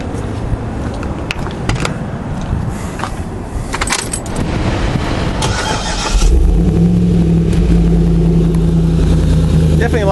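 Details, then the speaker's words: Start-up of a Corvette LS3 (480 hp) with a cam in a JK Wrangler: clatter, then the V8 fires and settles into a deep, uneven lope; idle is set to about 750 rpm to keep intake vacuum; normal cammed idle. "this engine is close to 500 horsepower and it definitely has a little cam to it a little Rumble at idle which is the compromise you're going to pay for for that horsepower"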